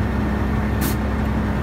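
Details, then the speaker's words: Big truck at about 1000 rpm idle on a 20°F winter morning, frozen air brake line holding only 70 psi: sharp hiss burst over steady idle drone, compressor blowing off through its relief valve as the air is still clogged. "hear that that's spitting out the um relief valve on the compressor so the air is still clogged up"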